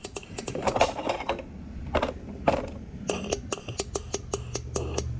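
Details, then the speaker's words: 2009 Cummins 6.7 diesel injector, installed in head, air pressure applied and energized from battery: sharp crisp solenoid clicks with little hiss, settling into quick even ticking, mist visible; injector working normally. "there you go he the air so it's definitely working you can hear the solenoid going you can hear the air pressure coming out"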